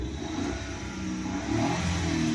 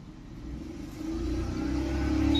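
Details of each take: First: Maruti Suzuki Alto small three-cylinder petrol engine revving smoothly and steadily with no stumble after an ignition coil fix; before the repair, one cylinder was dead, giving P0301, a blinking check light, vibration and no pickup. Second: Maruti Suzuki Alto 800 petrol engine revving with uneven, stumbling pulse and shaky rumble, check-engine light blinking, pickup drop, code P0301; cylinder 1 misfire from failed ignition coil.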